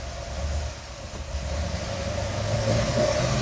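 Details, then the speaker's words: 1969 Chevrolet C-10 restomod V8 at first fire-up, hard to start, 45 psi oil pressure: rough, uneven rumble that climbs sluggishly when revved with irregular popping; doesn't want to rev, cause unconfirmed. "It don't really want to rev."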